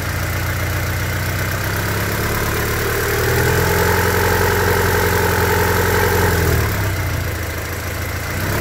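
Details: 1999 Honda Civic EX, D16Y8 engine burning oil with blue smoke and losing compression: light regular tapping over a steady idle, rising briefly with revs then settling, like a bad rocker or lifter; owner suspects piston slap from worn cylinders, unconfirmed, rebuild planned.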